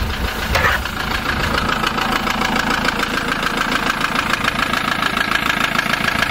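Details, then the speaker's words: Van with 135,000 miles, started after a loose battery earth/negative was fixed: fast, fairly regular knocking at idle, about three or four per second; diesel knock, cause not confirmed. "the knocking on the engine seems to have quieting down quite a lot but I definitely think there is a problem with the injector"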